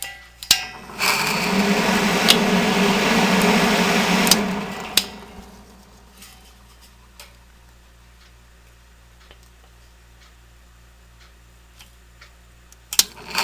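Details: 1970 Triangle Mobile Home Products bathroom exhaust fan, oiled a few years ago after long use with dry, dirty bearings: harsh gritty rattle for a few seconds at switch-on, then a quiet smooth run; worn motor bearings.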